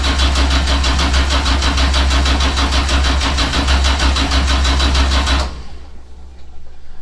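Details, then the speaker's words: 427ci LS solid-roller dry-sump engine on its first start attempt: slowish steady cranking about three turns a second for five seconds, never catches; fuel smell in the exhaust, unsure whether too little or too much fuel. "I can smell fuel. A lot of fuel coming through the exhaust, I'm sure. But why won't it fire?"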